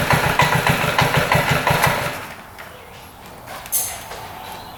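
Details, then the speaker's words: 2006 Honda Metropolitan two-stroke scooter after new intake boot and replacement carb from a Ruckus: crisp, even pulses revving out completely before dropping away; normal healthy running. "That definitely sounds better."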